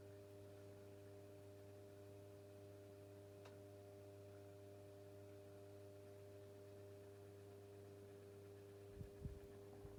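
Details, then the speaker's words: 1990s Pifco 12-inch desk fan, oscillation stopped: quiet steady low hum with a faint even buzz, no knocks or scraping; motor running normally on low speed. "even if it is supposed to go that speed which possibly yeah has a nice little buzz to it I've listened to that"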